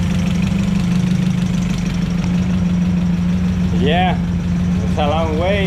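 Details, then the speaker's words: Honda Civic EG sedan with swapped H-series H22A engine, new header, intake and wiring; VTEC and some wiring not yet hooked up. Steady low idle with a firm even drone and a slightly lumpy, rowdy edge; runs smoothly and healthy. Normal idle. "Now it feels really good. It's a little bit rowdy, and we still need to hook up this guy right here to the VTEC,"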